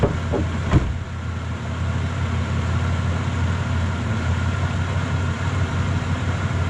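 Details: Impala idling after a shop replaced the holed, broken exhaust pipe, heard at the tailpipe: deep steady rumble with even idle beat, no rasps, ticks or leaks, much quieter than before; normal idle after repair.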